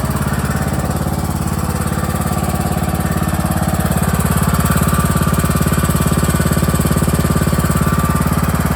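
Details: John Deere E100 lawn tractor running with parking brake set and PTO disengaged: steady, even low thumping at constant speed, no misses, knocks or rattles; engine healthy.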